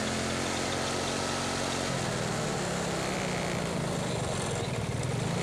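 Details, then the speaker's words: Carbureted Yamaha Mio Soul scooter revved high: a faint friction-like whine over the drone from the final drive; suspected final drive gearbox bearing, damage mild. "Nah untuk suara yang seperti ini yang tidak begitu besar kemungkinan bagian gearboxnya atau bagian kirinya tidak begitu bermasalah tetapi komponen gearbox sudah ada yang bermasalah Apakah itu bearing tapi analisa saya mengatakan adalah pada bagian bearing ya"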